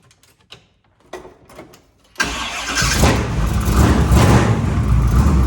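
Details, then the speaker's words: 1946 Chevy rat rod truck with freshly installed 383 short block (10.5:1, Promaxx heads) replacing an oil-burning 409, new taller valve covers with relocated PCV: a few clunks, quick crank, V8 fires cleanly and revs strong and even, no ticks or misfires; healthy. "Tight, sounds good, looks good."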